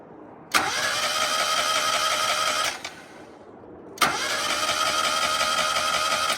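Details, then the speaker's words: Mazda Miata that has not started in a while, just after replacing the crank angle sensor; two roughly two-second cranking bursts, starter whirring steadily, engine never catches; still no start, owner suspects timing belt. "it took us forever and after I saw that the car didn't start I didn't want to do an outro so I just put the cameras down"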